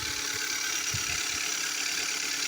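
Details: 2015 Kia Soul engine at idle: light uneven knocking under a steady hiss with low thuds coming and going, which the dealer called normal; later diagnosed as pistons slapping the cylinder walls and scoring them, engine replacement covered under warranty.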